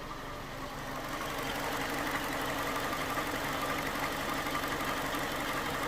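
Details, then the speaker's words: 2011 Ford Ka 1.2 after misfire repair (P0203 found, faulty part and its neighbour replaced, a plug-lead mistake corrected): even, steady idle with a smooth regular beat, no stumbles, no faults detected; normal idle. "it's running really smooth as you can see so I'm happy with this and I think we have a fix it's running really really smooth"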